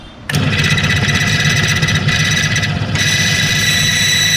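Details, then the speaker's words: Friction test rig lubricated with another branded company's oil, 1 kg weight added: loud harsh screech with steady high tones growing louder, meter rising; metal-to-metal friction squeal. "આ 1 kilo મૂક્યું છે. 1 kilo. આ અવાજ જુઓ તમે, કેટલો બધો અવાજ આવે છે. આ મીટર આટલું વધી ગયું છે."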